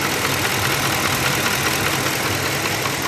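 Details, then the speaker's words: Ford F-150 idling right after a K&N cold air intake was installed: an uneven, pulsing knock about two to three beats a second, with shaking and no fault codes or air leaks found. The knock disappeared when the stock intake was refitted. "I never had this noise in my engine whatsoever ever with stock stuff as soon as I install this K&N thing my engine is like shaking and knocking and all kind of weird sounds coming out of it"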